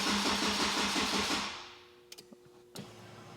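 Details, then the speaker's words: Honda Type R with a Haltech ECU: the starter churns at a quick, even beat, then stops on its own, with fewer cranks each try and no firing at all. Cranks but won't start; the cause is unknown. "It's cranking. Why won't it start though? That was the problem."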